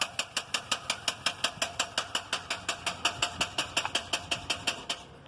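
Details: 2001 GMC Yukon XL 5.3-liter V8 has had a sharp, even metallic tapping knock at idle, about three per second, since the starter was changed. The cause is unknown.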